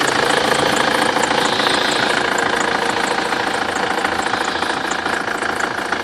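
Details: BMW F25 with N47D20 diesel idling evenly: a thin, high whistle rides on top, pointing to a squealing accessory belt.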